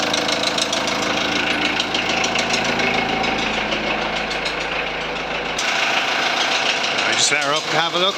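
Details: 2001 VW Transporter T4 1.9 TD diesel idling with a steady, uneven knock over the clatter, heavier than valve tick. Nothing was found under the rocker cover; teardown showed big-end bearing surfaces almost gone on clean journals: rod knock.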